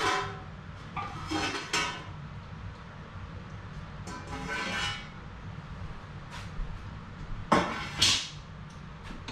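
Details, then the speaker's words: Home pressure canning of field peas at 10 psi: sharp scattered pops every few seconds as jars cool after processing, lids snapping down as vacuum seals form; normal sealing. "now when you hear that popping noise it's not necessarily the lids popping up like this they're popping down they're forming that vacuum as they cool okay because heat heat expands cold contracts and that's what you want"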